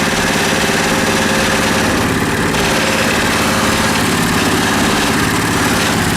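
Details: Coleman KT196 go-kart that sat for about a year, running after a replacement Hipa carburetor was fitted: a steady single-cylinder drone at an even pace, with wind and a frame or possibly loose-seat vibration rattle. The engine runs smoothly.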